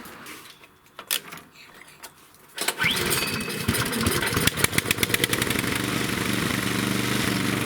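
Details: Snowblower after improvised repair of the wheel-drive hex shaft part, started outside: silent at first, then the small single-cylinder catches and settles into a steady, even putter with no misses or knocks; running properly.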